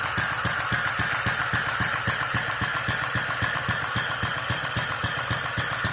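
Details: Restored Centaur model gas engine with electronic ignition and fuel injection, idling around 900 RPM: sharp clack about four times a second from gas valve, slightly irregular firing; present since carburettor days, unaffected by mixture or timing; suspected combustion chamber design or governor instability.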